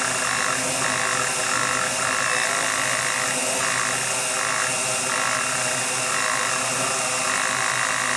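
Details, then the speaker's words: DJI Mavic Mini drone, one motor with propellers removed, knock started around propeller change: high motor whine with uneven pulsing bursts once or twice a second, rough knocking wobble; motor fault suspected, not yet confirmed. "по моему она еще круче стала вижу эту биение ну сами слышите да"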